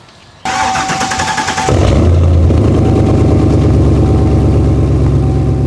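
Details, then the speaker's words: Cadillac CTS-V daily driver, cold start with exhaust disconnected mid-pipe: unusually long crank before catching, then loud, raw, unmuffled rumbling idle as exhaust dumps from the middle, little exiting the tailpipe; zero back pressure. "that low key did not sound good. It doesn't often take that long to start. So, not much is coming out of there on the end. It's mostly just dumping like straight from the middle."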